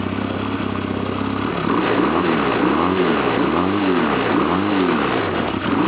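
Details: 1991 Honda Nighthawk CB250 twin with rebuilt carburettor, cold start: starter cranks briefly, then it catches and settles into an even, steady idle with small waves in speed; runs normally.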